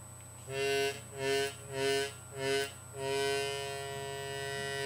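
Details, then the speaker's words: Chromatic harmonica: four short draw notes then a held one, each with a faint rattling buzz from a reed that went off center after filing or transport and touches its slot. "when you file in the reads they get off center or sometimes during Transportation especially on Lower Keys on the chromatics the reads may get off center and begin to buzz"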